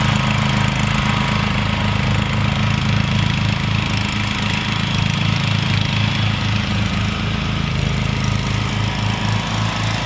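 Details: Rebuilt Troy-Bilt mower cutting grass, after new piston rings and a brand-new carburetor adjusted about half a turn. Strong, even low thump, about 230 beats a minute, holding steady with no misfire or knock; normal running under load.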